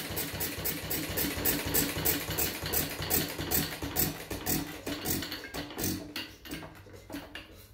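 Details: Fuller and Johnson hit and miss engine, first firing attempt after cleaning grease cups, switch and mixer, choked, 6-volt coil box: single cylinder thumps about three times a second, wheezy and uneven; owner says it seems to run awful rich, plans to check mixer and RPM.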